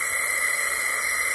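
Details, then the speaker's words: Snowblower engine that dies when it hits snow, cylinder leak-down test at about 90 psi holding 61 (about 30–33% loss): steady airy hiss, air escaping past a badly leaking exhaust valve, possibly intake too; valve job planned. "so i know i can hear it and i know that this exhaust valve is leaking like crazy i might even actually be getting a little bit through the"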